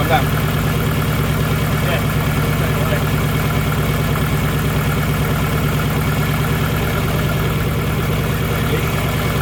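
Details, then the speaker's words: Nissan Pulsar GTiR first start after water pump replacement, coolant system possibly holding air: uneven, lumpy low idle with irregular beat about twice a second; running really rough, cause unclear, more water suspected. "And it sounds rough. Sounds really rough. That sounds really rough."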